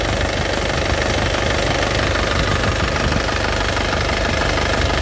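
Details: Isuzu Panther LS Turbo diesel, late 2007, about 103,000 km: even diesel clatter at idle, ticking about three times a second, no stumble or extra tapping, no oil leaks; engine judged healthy. Normal idle.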